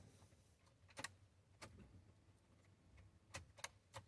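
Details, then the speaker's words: Ford Raptor no-start, no codes found: sharp irregular clicks with ignition on when trying to start, engine not running; first suspected starter not engaging, but starter was later ruled out. "hear that clicking right now turn the ignition on try to start it you get the click now first thing i'm thinking is this sounds like the starter not engaging"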